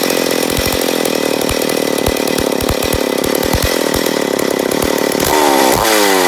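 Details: McCulloch Pro Mac 850 chainsaw, first start after rebuild, carb being adjusted: uneven popping firing that stumbles and surges before revving up suddenly; erratic running, owner suspects an air leak on the flywheel side.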